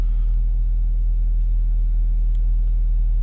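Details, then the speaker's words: 2011 Audi A5 2.0T after timing repair for P0016 and long-crank no-start, first start; steady even low rumble about four pulses a second, no knocks or ticks, P0016 gone: normal idle. "It's idling smooth, no, nothing. Wow, this is crazy."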